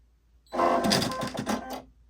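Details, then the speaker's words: New Baby Lock Soprano sewing machine at power-on; about a second of loud clattering whir then quiet, noisy but normal startup. "The only thing that I do not like about this machine is, listen, when you turn it on, it's very, very noisy."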